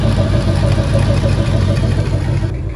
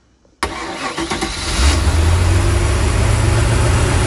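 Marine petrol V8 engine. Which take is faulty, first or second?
first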